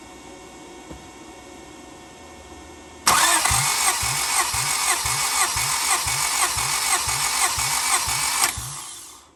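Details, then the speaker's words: 1991 Honda Civic hatchback EF ED6 compression test: fuel disabled, all spark plugs out; steady fast starter whirr with even compression bumps about three per second, engine spinning over without firing. "As you're listening on the compression stroke, you'll hear it bump. Make sure you disable your fuel system and remove all the spark plugs."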